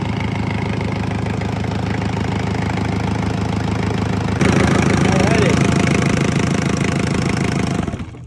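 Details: Isuzu C240 50 hp diesel for a sailboat, bench-run on first start after bleeding air from fuel, dry exhaust fitted; even clatter at about three beats a second, picks up slightly, then shuts down cleanly; healthy.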